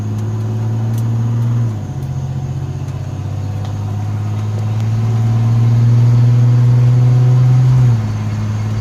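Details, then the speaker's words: Chevrolet S10 with swapped 2.8 engine, automatic, after drag strip passes: steady low droning hum that drops and returns when shifter is moved to first; slips into second; shop suspects planetary gear failure needing rebuild. "And if I bring it the shifter all the way to first, it makes this noise. Hopefully you can hear it."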